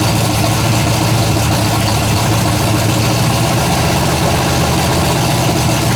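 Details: Freshly built 427 big-block V8 warming up at a steady, lumpy idle after first fire-up, with a faint light tick; one valve can be heard needing its lash set, valves still to be adjusted.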